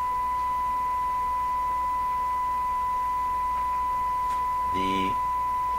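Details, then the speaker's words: Westinghouse 636 radio output stage after capacitor and component changes, fed 1 kHz from signal generator: steady pure tone, faint hum, harmonics 18 dB down, no buzz or distortion; output plays cleanly. "terms of hearing it this sounds the this sounds pretty clean to me"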